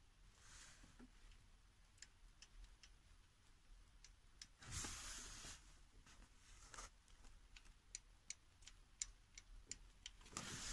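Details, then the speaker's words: 2013 Chevrolet Niva: a light, sharp top-end tick about three times a second at idle from a collapsed hydraulic lifter near cylinder 4 (valve 7 or 8). It is clearly heard on cold starts, louder with revs, and fixed by replacing the lifter assembly. "четко прослушивается на холодную когда заводишь и пару раз было такое что вот едет все отлично все нормально машину заглушил магазин сходил выходит заводишь и просто грохочет прямо неимоверно"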